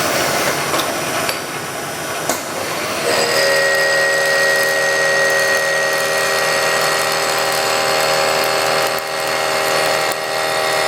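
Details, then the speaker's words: Kearney and Trecker Autometric jig borer milling a new sub-spindle motor mount; a steady, high metallic ring rides over the spindle and cutting noise, slight cutter ringing, not alarming. "You can hear it, it's ringing a little bit, but nothing alarming or anything, so."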